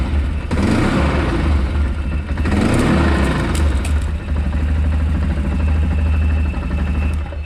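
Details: Can-Am Outlander ATV at low revs: an uneven slapping rattle from the CVT drive belt, which was disintegrating.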